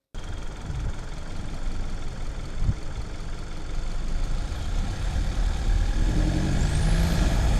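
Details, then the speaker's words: 2025 Mercedes C200 turbocharged engine under throttle while driving, mics near the intake box and in the engine bay: low rumble builds and a thin whistle climbs in pitch near the end; normal turbo spool. "If you know what a turbo sounds like, you know what you'll be listening for at this point."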